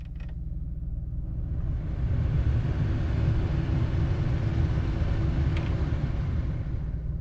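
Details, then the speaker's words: Truck blower motor on a cold 40-45°F morning: airy rush builds then steady whir; works today but failed yesterday, owner suspects the under-dash blower resistor causing intermittent operation. "see the blower turned on and i don't know what's going on with that it's just it works now"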